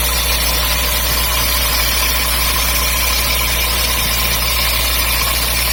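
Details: MGB engine with a new water pump fitted in summer 2019: a steady idle with a loud hissy, rattling noise above the normal running sound. The source of the strange noise is unknown.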